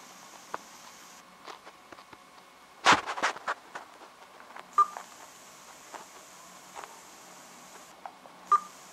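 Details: LG G2 phone on KitKat firmware: a short volume-key beep sets off a steady, high-pitched hiss from the speaker output. Firmware update 'G' reduced the hiss during media playback, but volume adjustment still triggers it.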